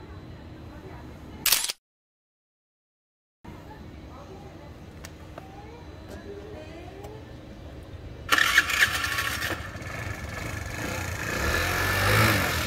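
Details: Daelim Couple 50cc two-stroke scooter, ridden under 1000 km a year, during a street drive-belt replacement after the belt broke and the rear wheel would not turn. It catches after a short crank and settles into a steady, even buzz with no slipping or flapping. Normal start and idle.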